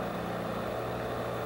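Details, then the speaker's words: Toyota 4FG/4FD forklift, torque converter stall test in reverse at full throttle: a steady loaded drone with no flare or slipping surge. Speed falls from a 2600 rpm maximum to a 1700 rpm stall speed. Normal. "as in the last test watch the change from the maximum speed to the stall speed the maximum speed is 2600 RPM the stall speed level is 1,700 RPM"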